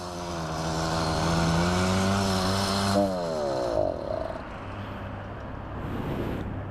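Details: Motorized bicycle (bicimoto), two-stroke under way: drone climbs, then sags in pitch and fades under load, losing power then recovering, finally dying; spark plug suspected worn, throttle possibly faulty.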